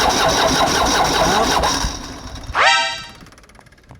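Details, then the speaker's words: Kia Bongo Big Eye diesel with electronic pump, which the owner says will not start, before repair: starter churns steadily for a couple of seconds then cuts out with no catch or firing; mechanic plans to check the glow plugs. "Okay guys, meron tayong isang bonggo unit dito na ang problema is hindi umaandar daw sabi ng may-ari."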